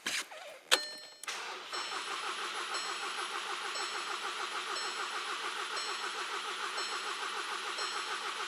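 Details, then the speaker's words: Engine cranking during scan-tool battery and relative compression test, battery holding steady at 9.2 V: steady, even cranking rhythm with no stumbles; good battery, healthy crank. "can select it and it shows you the current voltage of the vehicle now this is very good to uh have quick access to tesco the strength of the battery while cranking"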